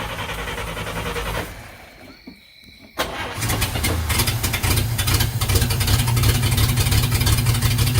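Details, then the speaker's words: 1950 Chevy coupe with a repaired choke using a custom 3D-printed part, started cold on the choke with the choke opened slightly: brief crank, pause, then it catches into a fast, even idle. Normal cold start. "Did you move the choke? Yeah, see how I opened it just a little bit? Oh yeah, she sounds good now."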